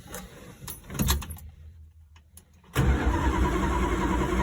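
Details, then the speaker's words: Dodge Dart cranked with temporary electronic ignition wiring replacing points: starter cranks steadily about three to four turns a second but never catches; no spark. "definitely no spark all right i'll switch the wires left to right see how we go again no spark and try again"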